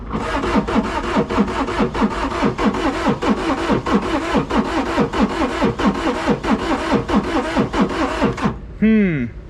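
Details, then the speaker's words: Non-running auction side-by-side with diesel injection lines cranking with uneven compression beats, about ninety a minute, never catching; fuel pump heard running then clicking off, injection lines to be cracked to check fuel delivery. Cranks but will not start. "that's bad let's crack these injection lines see if we got any fuel coming up to here"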